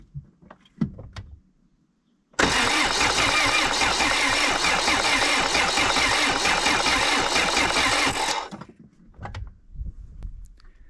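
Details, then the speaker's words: Renault Mégane coupé 1.9 DTI with about 410,000 km, cranked after an engine rebuild following a broken camshaft key: the starter spins at a steady, even beat with good compression for six seconds but never fires, and the battery is low. Air in the fuel system. "Mais bon euh bon, apparemment au démarreur, il y a ça secoue, il y a de la compression."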